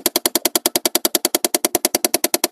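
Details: 2012 Chevy Impala 3.6 L: fast, steady clicking about ten per second from behind the dash, felt pulsing at the HVAC blend door actuator; it stopped when the actuator connector was unplugged. Blend door actuator clicking, replaced.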